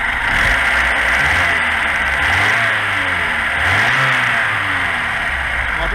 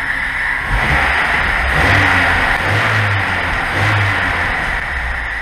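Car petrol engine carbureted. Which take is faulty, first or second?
first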